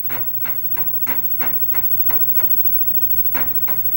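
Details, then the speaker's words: Commodore Amiga 500 3.5-inch floppy drive after cleaning both heads and reassembling; crisp ticks about three a second in short irregular runs, head stepping and reading normally, now working. "Here's the moment of truth so it already sounds better. I can hear it actually asking for the disc which it wasn't really doing before."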